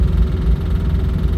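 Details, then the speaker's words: Morris Minor 1000 Traveller engine after a journey; low heavy drone with rough uneven ticking that grows on acceleration and dies down off throttle, slightly down on power; investigation found blown head gasket: ticking from blown head gasket. "got some strange sounds coming up the Morris this morning doesn't sound too good at all put my foot down a lot of ticking noise foot off the accelerator dies down"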